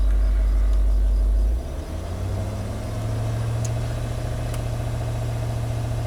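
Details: Range Rover L322 TDV8 diesel after replacing the battery (AGM swapped for standard type) and battery registration, charging at 13.5–14 V; deep, steady, smooth idle hum, no knocks or misses, healthy.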